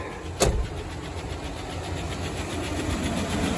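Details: Old Chevy truck jump-started from another vehicle after sitting, fuel lines dry rotted: fires right up and settles to idle with a light, quick, even lifter tick tracking engine speed; owner recalls it goes away.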